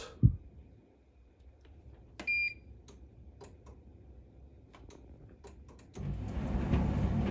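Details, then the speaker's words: Bosch Serie 6 self-cleaning condenser tumble dryer, switched on after cleaning filters to clear error E90 (previously clicking): one clean short high beep, then drum motor starts and runs smoothly; normal. "sounds and now it works last time it was the click sounds and it was E90 so E90 must mean clean the filters cheers guys"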